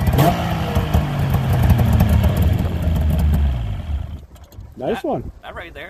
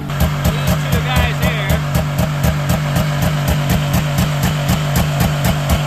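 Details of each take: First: 1998 Yamaha V-Max 700 snowmobile after lowering a high idle by adjusting the idle screw, during its pre-season tune-up that solved a throttle issue: brief rev, then settles into a steady, even idle with no hunting or stumbling; normal idle. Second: 1998 Yamaha V-Max 700 two-stroke triple snowmobile at pre-season start: fast idle pulsing about four times a second, bouncing because a faulty throttle override switch cuts it in and out; idle also set too high.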